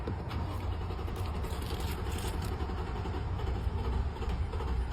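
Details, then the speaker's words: Toyota Tundra truck about a year and a half old with 11,000 miles, engine of a type under recall for debris; steady low starter churning on and on before catching, then stalling, shaking with check-engine and reduced power, long crank, hard start. ">> You hear how long it took for it to turn on? And then it turns back off."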